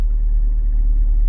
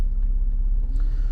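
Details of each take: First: Lada Largus/Renault Logan heater blower on speeds 3 and 4, barely turning on speed 2: low rumble with thin steady whistle and slow pulsing beat; weak, noisy blower fan, owner suspects dirt on the impeller upsetting balance. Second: Lada Largus/Renault Logan heater blower fan after removal, cleaning and reassembly, that previously squeaked and whistled: steady low hum at speed 1, even tone, no squeaks; blower runs normally.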